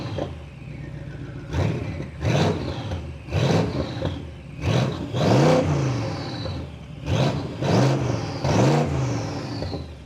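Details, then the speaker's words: BMW N63 twin-turbo V8 with catalysts removed and new downpipes, lower pipe not yet joined to the exhaust: repeated revs give a loud raw roar rising and falling with throttle; loud because downpipe disconnected. "ეხლა ქვევით ფაიფი რომ ჩადის არიყო არ არის შეერთებული და მაგიტომ აქვს ეხლა ესეთი დიდი ხმა იქ"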